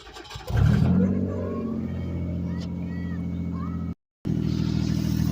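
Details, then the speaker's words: 2004 Mazda MPV 3.0L: loud raspy low rumble puffing steadily at idle and swelling on revs, heard inside the van, from an exhaust leak at the front flex pipe after the bank 1 manifold. "nice and loud right there that's a flex pipe right there this is what it sounds like inside the van and when I rev it up I mean it it gets loud so we got to get that fixed today"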